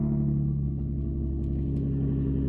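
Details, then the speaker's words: Nissan 350Z idling after its test-pipe gasket was replaced and the bolts tightened: steady, even low rumble with no puffing, ticking or hiss; exhaust sealed and back to normal. "sounds normal yep back to normal now time to do the oil change"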